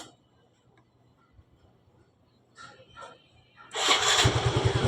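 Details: Yamaha Mio i 125 scooter that would not start: quiet clicks, then it catches and settles into a quick, even putter; it now starts and runs.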